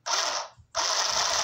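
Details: 12-volt sewing machine with foot pedal, repaired after the needle stopped going up and down: quick, even mechanical chatter runs steadily after a brief stop and restart with no snagging; the mechanism now runs freely.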